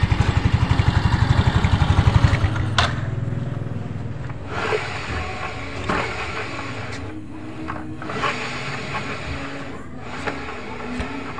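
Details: Yamaha Mio 125 after replacing final drive bearings (6202), adding gear oil: even quick thumping then smooth quiet run with no rough grinding from final drive; normal running.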